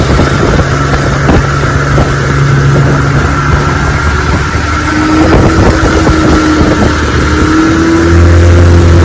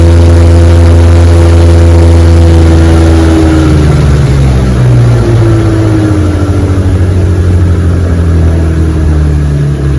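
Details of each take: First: 1961 Evinrude 18 hp outboard on a 14 ft boat, cold morning test run at high throttle: note climbs steadily with no matching surge of thrust, revs flaring as the prop spins out. Outboard propeller rubber hub slipping. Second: 1961 Evinrude 18 hp outboard after props fitted with new rubber hubs, chilly afternoon run on a 14 ft boat at about 22 mph: strong, steady drone with clean even firing, easing down smoothly from full throttle. Normal running, no slipping.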